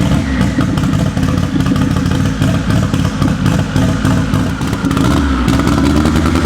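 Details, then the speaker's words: K24-swapped AWD Honda Civic before its cylinder head replacement, even compression and valve lash checked: uneven idle with a stumble and clatter every few beats; misfire present, owner suspects the cylinder head. "it just has that weird little it just doesn't sound right there's definitely a misfire in there and I think it's for sure something in the cylinder head"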